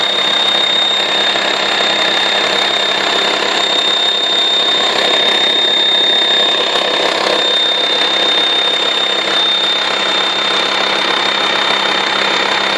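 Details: VW T5 2.5 TDI AXD, 240,000 km, AC compressor belt removed: thin, steady high whistle of constant pitch over a smooth diesel idle, only with the engine hot and only at idle. Source unknown; turbo suspected.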